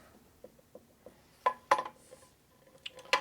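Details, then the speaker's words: 1978 Harley shovelhead crankcase being checked with a torque-holding tool: a few sharp, irregular metallic clunks as the crank shifts, since the case drops by itself; the Timken taper roller bearings are unseated and loose until they are spun down. "Now see how that case is actually going down like that by itself? That means it's not too tight, most likely. It is actually loose."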